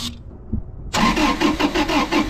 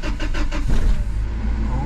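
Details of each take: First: 2000 Toyota 4Runner with 363,000 miles: the engine cranks with an even rhythm but never starts. Fuses and ECU power were checked and the throttle body was sprayed, and the diagnosis is a failed fuel pump. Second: 2000 Toyota 4Runner, 363,000 miles, starting cleanly after fuel pump replacement for a crank-no-start: several even cranking beats, then it catches and settles into a smooth, steady run with a slight rev rise.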